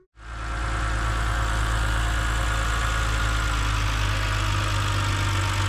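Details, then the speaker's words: BMW E70 X5 30i M Sport, N52K inline-six, idling with the serpentine belt removed: a thin constant whine remains over the engine, so the alternator, first suspected of bearing trouble, and the power steering pump are ruled out. "all right it appears it appears that the wine is still there so looks like it is not the alternator"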